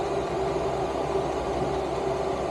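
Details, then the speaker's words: 5kW Chinese diesel air heater fitted in a Renault Master van, warming up to full heat; even steady whoosh of fan and burner with a faint constant tone, getting louder as it warms, no clatter or surging; normal running. "you can hear it start of getting a bit louder now there that's uh that's starting to get warm now"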